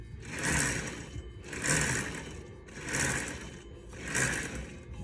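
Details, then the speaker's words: 36-foot Hatteras yacht Hynautic hydraulic steering bled after running out of fluid from a slow cylinder leak: rhythmic swishing gurgle about once a second with each wheel turn, wheel getting harder as air works out through the pump. "it's getting a little bit harder and notice the sound changes in in the in the pump up see air"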